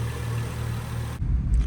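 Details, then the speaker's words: BMW 335i after oil filter housing gasket, alternator and belt repairs: steady, even low rumble, no knocks or misses, no leaks seen; normal running before a test drive. "It runs well though, it sounds good. I haven't seen any leaks or anything."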